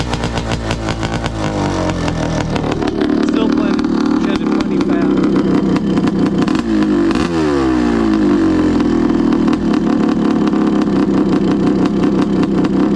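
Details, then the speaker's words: Honda CR500 two-stroke in a Schwinn project, first ride: revving up and down with a ragged, uneven crackle. The owner thinks it sounded lean and plans to adjust the air screw. "Well, you can see I still got some fine tuning to go. So, now that sounded a little lean."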